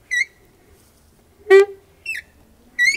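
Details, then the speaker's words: Kia Rondo door hinges after WD-40 lubrication: four short high squeaks and one lower groan as the door swings, much quieter than the loud groan before; dry, partly lubricated hinge, needs a bit more. "hmm so before it was like a really loud groan and now it's like a squeak so it's a lot quieter"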